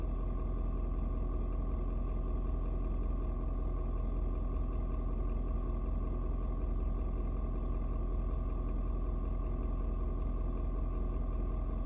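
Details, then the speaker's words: Ford Super Duty 6.7 diesel, cold start at 56°F: steady low rumble with even, fast cold-idle clatter, no misses or knocks, should mellow out once warm; normal cold idle. "it may take a little longer today because like i said it's a little bit colder out today but it usually doesn't matter maybe five but 25 and like 10 minutes yeah usually mellow on out"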